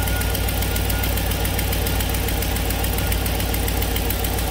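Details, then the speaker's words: 2006 Chevy 2500 pickup, 6.0L V8, idling with a rapid, even puffing tick over the rumble, clearest on one side. This is an exhaust manifold leak, not a valvetrain tick, and the customer has no noise complaint. "you can hear it puffing type sound here pretty clear on this side"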